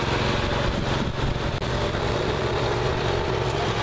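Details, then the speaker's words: Neglected riding mower after repair, fresh gas, fuel shutoff, filter and hose clamps redone, started on jumper pack due to weak battery: steady, even, unbroken drone at speed, no stumbling or surging; now runs perfectly. "all right so seems to run perfectly now that's good it's real good for all that work had to do to it so that's good"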